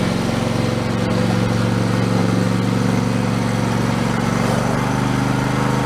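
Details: Husqvarna YTH2454 mower, 24 hp Intek V-twin, after carburetor rebuild with a kit: steady even drone with smooth low beat, no misses or knocks; running cleanly, declared fixed.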